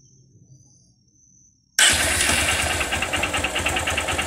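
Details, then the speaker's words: Honda Titan motorcycle, started, then idling: a loose, uneven tapping about three per second over the exhaust; noticed a week ago, owner suspects a knocking connecting rod (biela), unconfirmed. "Que barulho é esses é eu na minha opinião Deus Na minha opinião eu acho que é da batendo biela"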